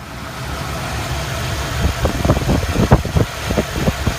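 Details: Engine at idle running rough: irregular low thumps and stumbles, a little over one a second; codes scanned, cylinder balance test passed, timing set, and cap, rotor, plugs, wires, coil and temp sensor already replaced; misfire cause still unknown.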